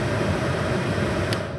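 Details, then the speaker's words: 2017 Chevy Trax blower motor, tested during troubleshooting of a burnt blower circuit with suspected poor terminal contact: steady, even fan rush with a low hum and no squeal or scrape. The motor is judged fine by sound; amp draw is checked next. "I think the motor's fine based on what it sounds like."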